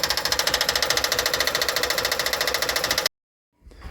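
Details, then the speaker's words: Van engine running: sharp, regular metallic clatter about twice a second, loudest at the front, extremely loud with stethoscope probe on the timing belt tensioner; tensioner knocking, timing to be checked. "it is so loud at that tensioner when I mean it's loud like it's it about blow your eard drums out if you put the stethoscope probe right at the tensioner it is Extremely Loud"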